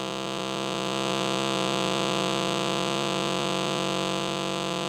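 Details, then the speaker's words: Unplugged switch-mode phone or tablet charger: steady high buzzing with a fast pulsing whine that keeps going as the charged capacitor keeps the supply running and generating noise. "so there you have it that's what the capacitor is doing in there it's even after you unplug it it's generating noise for a long period of time"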